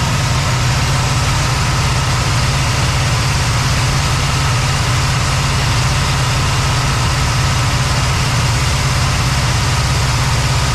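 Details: Cadillac ("Lil Debby") at a smooth, even low idle with steady pitch, no stumbles or hunting, after fuel-system diagnosis of a brand-new but failing fuel pump; no fuel return yet, possible vapor lock suspected; return-style filter to be refitted. Normal idle.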